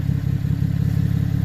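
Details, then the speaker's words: 2014 GMC Acadia 3.6L AWD, idling, heard from underneath; deep rapid puffing pulses in time with idle; exhaust leak where intermediate pipe rotted and separated at flange after catalytic converter, studs rotted, fixed with split flange and new gasket. "Customer complaint is an exhaust noise from coming underneath. Coming from underneath."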